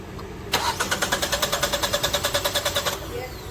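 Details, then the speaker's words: Engine cranking about 2.5 seconds at roughly three compression beats per second with both intake and exhaust camshaft position sensors unplugged, never firing; crank no start, because the cam sensors are used only at startup. "yeah it won't start so now if we plug him back in it will start and run"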